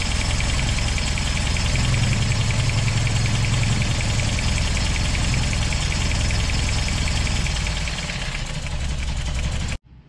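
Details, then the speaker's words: 1988 Toyota 22RE after head replacement and new fuel pump: a loud, lumpy idle with an uneven thump about three times a second; distributor installed one tooth off, so ignition timing was wrong. "yeah worms here off one two and that's why it was running so rough for us"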